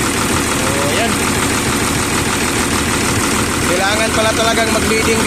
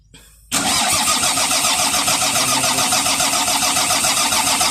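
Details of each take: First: Volvo EC210BLC excavator, D6D diesel, that would not start, running after fuel bleeding at the rocker cover: loud, dense, steady clatter at even speed with no stumbling or dying; normal idle. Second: Volvo EC210BLC excavator with D6D diesel that won't start: starter turns the engine over at about three and a half even pulses a second but never fires; failed fuel supply pump feeding the filter found as the cause.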